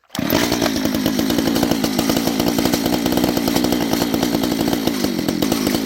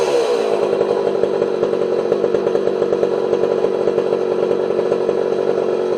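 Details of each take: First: Homelite 240 chainsaw, long unrun and possibly too much oil in the gas, won't run without choke: steady fast, slightly blubbery, uneven note, burning rich; owner also suspects an air leak. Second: Homelite 240 two-stroke chainsaw after carburetor idle and low jet adjustment: steady, high buzzing note held evenly at speed, no stumble or surging; runs beautifully and cuts well.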